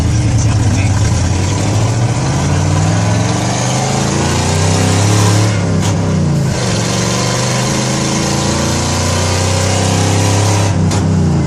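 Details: 1970 Ford F-100, 302 V8, 4-speed, driving through the gears: rough puffing tick on the exhaust note; exhaust leak.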